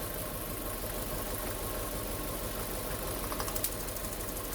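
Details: Hyundai Getz Mk1 losing power, two dead cylinders, idling during plug-lead pull test: uneven, lumpy beat; spark is present yet removing some leads changes nothing, confirming dead cylinders.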